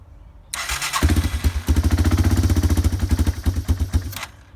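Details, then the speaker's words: Yamaha ATV engine after carburetor cleaning and float adjustment, started without the choke: catches within a second and settles into an even, quick thumping run, about four beats a second. Normal start. "Starts right up. That's without the choke."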